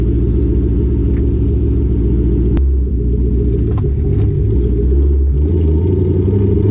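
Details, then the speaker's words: Exhaust heard from a camera under the lowered car while driving, after wrapping it with header wrap to stop it banging the axle: deep steady rumble, no banging or thudding; rattle fixed. "There is there is literally no exhaust rattle I hear from my exhaust banging on my axle anymore."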